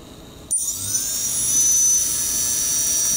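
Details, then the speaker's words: Blackout Mini H quadcopter, fourth brushless motor during OpenPilot controller calibration: high thin whine wavers rather than holding a steady pitch; motor not yet stable until slider is moved one step further. "So, but you see the motor, you hear the sound. The motor isn't stable."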